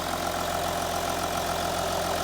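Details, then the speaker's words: Audi Q7 3.0L diesel after the new cylinder 4 injector fixed the combustion leak and P0272 misfire, no codes: a steady diesel idle with smooth, regular clatter and no stumbling; runs clean on all cylinders. "the engine sounds great we no longer have the uh combustion leak that we had over here on cylinder number four the engine sounds a lot"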